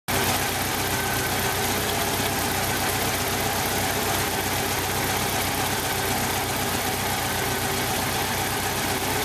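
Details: 1995 Jeep Wrangler YJ 2.5L four at idle; uneven lumpy idle with a stumbling beat and hissy edge; cylinder one has a blown head gasket seal and about 70 psi compression.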